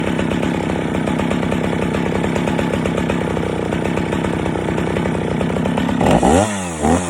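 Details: Stihl 041 AV chainsaw after rebuild (previously overheated and shut off after 10 minutes, badly scored piston), freshly ground chain with rakers taken down far; steady high-revving buzz holds firm in knotty ash, grabby cut, then clean free revs; normal cutting under load.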